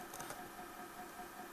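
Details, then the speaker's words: NAD 5120 turntable (Czechoslovak-made, 1980s, early orange-bulb version) AC motor running: steady whirring hum with buzzy mid-pitched tone, louder than it should be, vibration felt through the chassis; motor to be removed and serviced. "yeah you can probably hear quite a lot of noise coming from that motor and if I touch the chassis here and here I can feel that going through"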